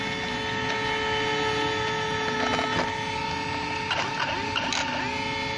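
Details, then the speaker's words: Traxxas X-Maxx on 8S (2×4S) after only four light runs on gravel, grass, road and small jumps: a steady high electric buzz comes from the steering servo with no steering response. The servo has failed. "guys, what's this sound? It's coming from the servo. See. So there's no more servo response now."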